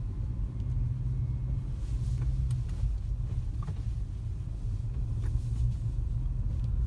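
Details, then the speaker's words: 2008 Honda CR-V, 2.0 manual, after replacing the steering rack yoke (bushing) and pressure spring: steady low road rumble driving over bumps, no rattle or knock from the steering anymore, previous rattle fixed. "наслаждаюсь тишиной при проезде вот неровности ничего не слышно теперь"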